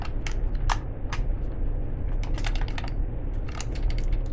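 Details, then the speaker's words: Hand-crank, solar-panel emergency flashlight unit from a subscription box, shaken: irregular dry clicks and clatter; something loose tumbling inside the body, cause unknown. "I have no idea what's rattling around like that. I'm quite certain it's not supposed to do that."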